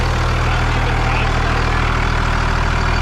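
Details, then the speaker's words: 2nd gen Cummins diesel truck, hood open, just fired up quickly; loud, deep steady rumble with even knock rhythm, no misses, surprisingly healthy. Normal idle. "Oh yeah. It runs so good. This thing fires up so well. It's surprising how healthy the engine sounds."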